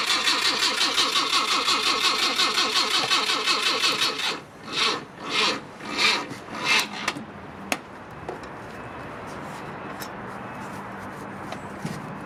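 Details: Mk1 Ford Cortina with original 1200 engine on a jump pack after sitting, suspected dodgy ignition switch: starter churns at a quick even beat about four seconds, then slows and stops without catching; crank, no start.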